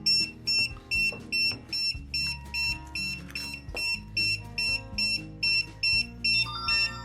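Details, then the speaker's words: DJI Agras T50/T40 remote controller powered on right after replacing the right thumbstick module, before closing up; high, evenly repeating beeps about two per second because the new stick isn't calibrated yet; uncalibrated warning beep. "Turn it on. Should have the same beep because it's not calibrated yet, but at least you can calibrate it"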